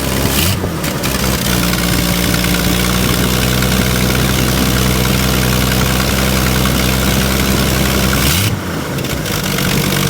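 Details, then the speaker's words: Bullnose Ford 300 cu in six after the one-barrel to two-barrel carb conversion: strong, even note that picks up cleanly on each throttle blip and settles back smoothly. Sounds much better than before, carburetion healthy. "Man alive, listen to that. This sounds 1,000,000 times better. Woo! My God."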